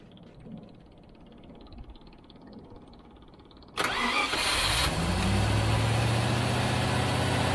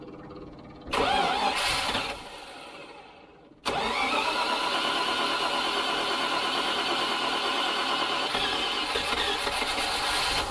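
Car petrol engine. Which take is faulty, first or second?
first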